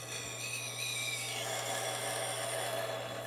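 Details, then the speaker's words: Tormek T1 knife sharpener, diamond wheel: steady motor hum under harsh hissing metal grind during a set of 10 passes on a very dull knife with badly rolled edges. "That's because this knife is really bad and the edges were rolled so bad it's not even that I've got to go ahead and take this metal down to get back to normal."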